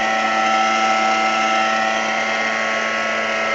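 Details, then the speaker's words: NordicTrack treadmill, motor belt disconnected: loud steady high whine with rough hum underneath persists, confirming drive motor itself is noisy; motor to be replaced. "so this confirmed to us and to the sales customer service person that it's the motor"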